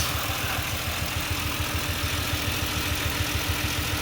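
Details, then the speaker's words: Engine just after passenger-side valve cover gasket replacement, at idle: steady idle with faint skip in the low thump; slight miss, owner suspects a loose spark plug wire, unconfirmed. "Sounds like I got a little bit of a miss, so one of my plug wires might be a little loose."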